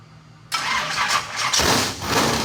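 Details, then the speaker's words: Modified engine's first fire-up, run on primed squirt fuel: it catches and revs roughly in surges for about two seconds, then falters. The fuel pump, one taken off the shelf, appears bad and isn't delivering fuel. "well you got to love new car blues uh it appears this is a bad fuel pump unfortunately"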